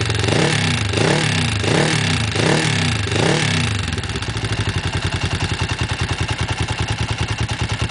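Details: Kawasaki GPZ engine: several throttle blips settle to idle with a busy, rapid metallic clatter over the exhaust beat; unexplained top-end engine clatter.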